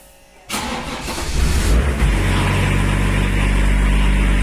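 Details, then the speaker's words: Range Rover P38 diesel after fitting hot-start timing fix for suspected worn-chain retarded timing; fires instantly on first crank from cold into smooth steady idle, normal start, still to be retested hot. "it started straight up first time, but we've got to let it get warm and then try it again."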